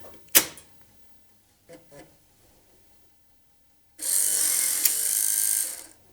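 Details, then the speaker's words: MemoryWriter 6040 floppy drive after repair with a new gear: a sharp click, then a harsh, gritty whirring for about two seconds as the disk spins; it works, but the drive gears sound rough and noisy. "yeah that noise was horrible but it does work"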